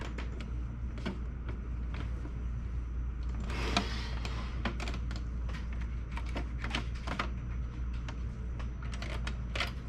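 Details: HP LaserJet P1102 laser printer clicking irregularly, then its drive buzzing with a steady whir and rough mechanical rattle; noisy printer mechanism.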